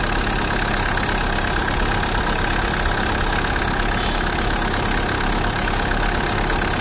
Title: Tata Indigo CS, Dsl, 2008, RJ02, Engine noise.